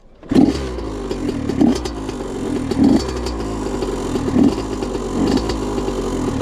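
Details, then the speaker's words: Honda CR85RB two-stroke after a blown crank seal, kick-started after topping off; owner suspects coolant contamination and a needed head gasket; catches after a kick, then runs with uneven blips and a clattery note about once a second, rough running. "I know it's still probably gonna sound bad because if that is antifreeze then it definitely needs a head gasket"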